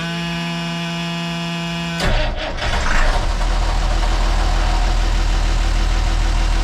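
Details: Perkins T6.3544 marine diesel after resealing its CAV injector pump, no pump leaks: shut down at operating temperature and restarted hot, it fires straight back up and settles into a steady, even idle with no stumble; fault fixed.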